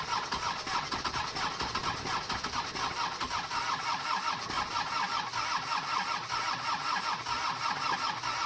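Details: Mercedes OM617 diesel swapped into a Toyota pickup, right after replacing the injector nozzles: a steady starter churn with a fast, even compression rhythm but no combustion; cranks and won't start at all.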